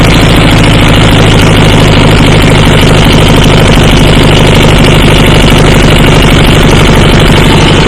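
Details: About 1976–79 Sears GT18 tractor, Onan 18 HP twin, after carburetor cleaning, brass float and rejuvenated fuel pump: even chugging beat, steady through the RPM range with no stumbles or hunting; runs smoothly.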